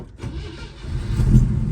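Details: 1967 GMC half-ton truck with factory 305 V6, first start after sitting 20 years: cranks and catches within two seconds, settling into a deep steady rumble; starts cleanly with no stumble.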